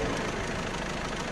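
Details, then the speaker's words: Newly installed 1.6 HDi diesel, fresh oil, first run: a fast, light metallic chatter rides over the idle, growing louder then fading; owner unsure whether it is the camshaft chain or the tappets. "كي خدمناه ظهر فيه الحس هذا. فما شكون قال لنا حس الشان الحديد اللي يدور الاربراكام والفيلبروكا، وفما شكون قال لنا الحس هذا بتاع بسوارات."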